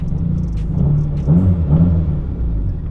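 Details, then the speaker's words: Mitsubishi Evo 8 warm: low, lumpy idle stumbling about twice a second, a misfire; runs fine cold but dies when warm. "So as you can hear and see, my Evo is having a gnarly issue, and every time it warms up it dies. So when it's cold it runs fine, but when it warms up it dies."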